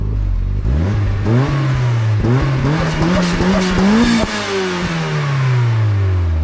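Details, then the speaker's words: 1994 Mazda MX-5 Miata, 1.8L with Begi turbo kit (GT2554R, 5 psi, ~150-160whp), after exhaust leaks fixed, cat and resonator deleted, 2.5in with Racing Beat muffler: pulling from 10 mph, smooth rising drone with no rattle, much better than before. "so it definitely sounds a lot better than it did I like it it doesn't rattle"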